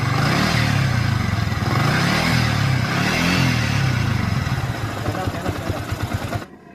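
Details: Yamaha Vixion single-cylinder engine before rebuild: coarse, uneven clatter over a deep drone; rough noise traced to a worn balancer bearing, replaced in the repair.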